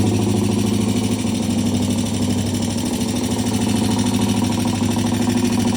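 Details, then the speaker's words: Vintage British T20M 200cc single-cylinder four-stroke race bike, test ride after cold starts and repairs: even, steady brisk idle beat with no knocks or misses; it runs fine. "Well, he went out under his own power. He came back under his own power. So far, so good."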